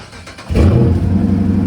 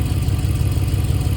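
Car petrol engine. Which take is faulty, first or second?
first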